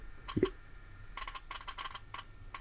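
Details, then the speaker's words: Nokia Lumia 1020 camera lens hunting for focus in Pro Camera app: faint, irregular tiny ticks, about ten in three seconds; normal autofocus motor noise. "do you hear that it's actually trying to focus in and you can hear the lens making noise interesting"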